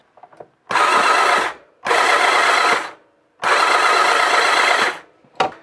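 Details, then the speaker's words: One-owner, low-mileage Honda CB700SC Nighthawk cranked with all spark plugs out after sitting outside at 20-25°F: three one-second bursts with a harsh rasp and thin tone on top. Owner suspects the starter clutch, likely from old oil and cold. "Maybe a little bit of a raspy sound with the starter clutch, but it's probably because old oil and it was just outside."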